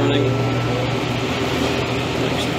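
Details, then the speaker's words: Reach-in dairy case evaporator fan, now clear of obstruction, blowing air through a heavily frosted coil during a hot pull-down: smooth even rush of air over a steady low hum, no ticking or scraping; fan spinning freely. "fan's not hitting nothing now and it's plenty of clearance"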